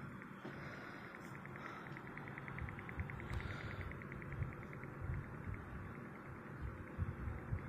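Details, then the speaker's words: Custom PC-fan desk fan running on high speed: a steady hum with a faint, fast ticking rattle on top, cause unknown. "It does rattle a little bit. Guys can hear it running."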